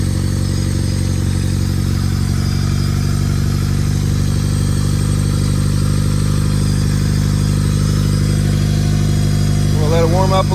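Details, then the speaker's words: Freshly built Honda D16Y8 in an EG Civic, first start, no muffler: loud raw idle but steady even beat without misses or knocks; engine running healthy. "She is running, boys and girls. It don't look too bad."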